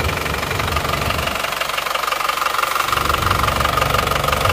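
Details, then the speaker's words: Isuzu Panther pickup diesel before repair, cold at 47°C: rough idle with steady knocking beat about three per second over harsh clatter; blow-by caused by some stuck piston rings and all other rings worn. "Ini sudah ketahuan masalahnya penyebab ngobos dan suaranya emang agak kasar ternyata seperti ini sekernya ada yang macet dan kondisi seker lainnya itu sudah rusak sudah Aus semua"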